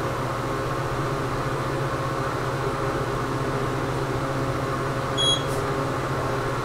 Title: KONE hydraulic elevator with noisy fan @ Central Library, Milwaukee, WI